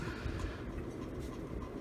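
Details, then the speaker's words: Ceiling fan from a collector's basement, running steadily: continuous low rough rumble with a faint clattering edge; bearing noise suspected, thought easily fixable with lubrication. "definitely that sounds like bearing noise that's easily fixable"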